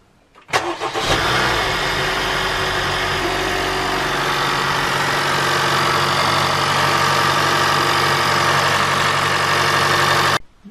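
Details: 2014 Honda Fit GK5 RS 1.5 (132 hp), nearly 50,000 km, restarted cold; its first cold start knocks for about a second. On this restart the engine catches quickly and settles to an even idle with no knock: normal cold start.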